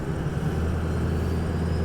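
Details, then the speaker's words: 2005 Ford Excursion 6.0L Powerstroke diesel with upgraded Power Max turbo, Banks exhaust and rebuilt transmission at 100k miles, recorded from the cab while driving: low diesel drone, then a clear rising-and-falling turbo whistle and hiss on acceleration; normal turbo sound. "I can hear that turbo whistling already. Hard to beat the sound of a 6-liter Powerstroke diesel sound."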